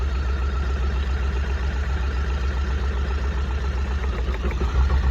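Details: 2006 VW Golf 1.6 petrol idling with lumpy, uneven thump: misfire traced to failing coil pack on cylinder 2, checked without diagnostics.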